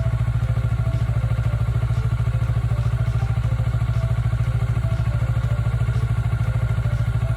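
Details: Kawasaki Ninja 400R 400cc (registered 2013, 7 years old), started after about 3 months unused despite feared flat battery; even, deep pulsing idle, steady beat, no clatter, ticks or stumbling: normal healthy twin idle.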